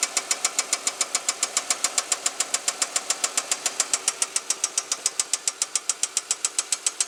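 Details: 2005 Chevrolet Equinox at idle: sharp, even ticking about three and a half per second, a top-end knock; oil pressure good, no metal in old oil after oil change; owner hopes it is a loose rocker arm, not confirmed.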